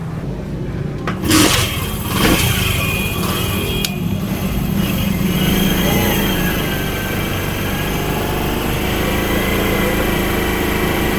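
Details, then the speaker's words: Honda CD70 motorcycle, after chain alignment and tension adjustment for chain noise, in gear: steady hum with no slapping, clicking or grinding; chain drive smooth and quiet. "हमारी चैन जो है बिल्कुल smooth है। किसी किस्म की कोई आवाज नहीं है।"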